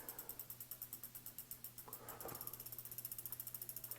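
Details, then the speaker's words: Jamis Highpoint A2 mountain bike after hydraulic disc brake caliper adjustment: wheel coasts with quick, even freehub clicking about nine a second, earlier slight rotor rub gone after tightening caliper bolts; brake runs clear. "actually went away as I tighten that steeper so boom brakes are done"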